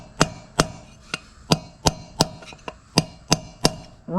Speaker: That noise where it sounds like you're banging on the rim. Now you know it's seated.